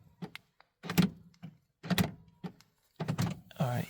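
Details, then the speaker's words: BMW 3 Series (E46/E90, 2005) with EWS3, after all-keys-lost key programming with Xhorse, remote being programmed: several sharp lock clunks about a second apart as the locks cycle by themselves. This self-cycling confirms the remote is programmed. "If you hear the lock and unlock by itself, that means program."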